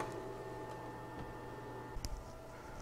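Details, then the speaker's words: External CMS hard drive for a 1986 Macintosh Plus, freed by gentle taps after years in storage; Mac fan slows slightly as drive spins up; steady low hum, thin even whine, one brief click; normal spin-up. "almost as soon as i tap that the first time i can hear that the fan kind of slow down just a touch as the hard drive starts spinning and now you can clearly hear the hard drive or at least i can"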